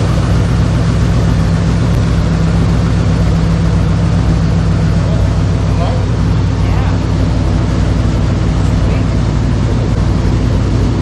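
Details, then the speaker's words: 1970 Chevy C10 with freshly installed 5.3L LS V8 (about 175k miles; new high-volume oil pump, timing chain and gears, rear main seal), first start before PCM programming; deep steady rumble, even beat, no knocks or misses, sounds real good: normal idle. "Sounds real good. Yeah."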